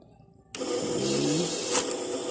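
After a short quiet start, an even whirring feed with a light high rattle runs through the notes without any alarm: normal counting.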